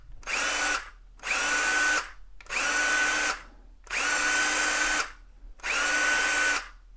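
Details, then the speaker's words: Hart HPDD02 brushed cordless drill, unloaded: five short trigger pulls, each a clean steady high whine with no grinding or rattle, brushes sparking visibly in the vents; healthy motor. "this is a brushed tool so you could see here when I pull the trigger if you look into these little slots you're going to see some sparks flying that means that this is a brushed tool"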